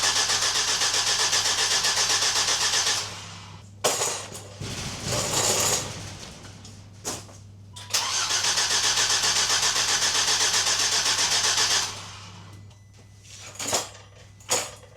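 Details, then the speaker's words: Volvo V70 T5 after turbocharger replacement, coils disconnected and one turbo oil feed pipe left off: long even starter cranking near four beats a second, no firing, spun over to build oil pressure before first start. "I've disconnected all the coils so the car won't actually fire, but I just need to now crank it over as I've left the one oil feed pipe to the turbo off."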